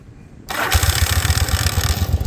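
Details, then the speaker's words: 1982 Yamaha Virago 750 V-twin, 123 psi per cylinder, carbs cleaned, new starter solenoid; cold start with brief harsh grind as the starter skips teeth before engaging, then uneven lumpy running; noisy starter typical of these bikes when cold. "Hear that grinding noise? Sometimes they'll skip a tooth, miss a tooth. Mostly when it's cold, the starter will skip and not engage, skip, not engage."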